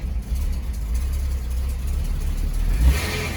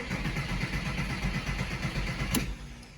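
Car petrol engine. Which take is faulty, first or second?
second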